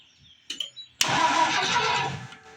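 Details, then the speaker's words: Rebuilt Ford 215 six-cylinder at first start with new spark plugs, after a reversed wire was fixed: weak cranking puffs, then a short roar that catches for about a second and fades; hard starting, ignition timing suspected off. "Oh, we got effort. That sounds good. Try it again. Uhoh. I think it's out of time."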